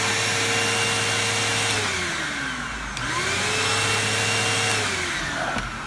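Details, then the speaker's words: Bissell CleanView II Plus bagless 3576M 12-amp vacuum after fixing a strange sucking sound and power loss and cleaning the filter: motor whirs at steady pitch, dipping briefly and recovering, no odd sucking; working normally. "yeah I'm calling it a good one I'm calling that a fix that is fantastic"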